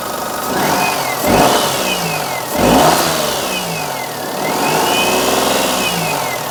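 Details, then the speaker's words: Perodua Kenari "Desmond", first start right after adjusting belt tension, running with electrical load on: engine blips up and down smoothly, pitch tracking revs cleanly, no belt shriek; idle control sometimes a little variable but sounds all right, normal running. "idle control is sometimes a little variable on Desmond it's not bad though that sounds all right I think we're good"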